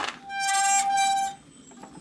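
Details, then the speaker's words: Creo Fury mountain bike disc brake: a loud, steady high-pitched squeal for about a second, then fades; rider suspects the thru-axle with missing parts, else contaminated or worn pads or contaminated rotor. "Now, that is usually caused by contaminated brake pads, the brake pad thinning down, or maybe the rotor's been contaminated as well."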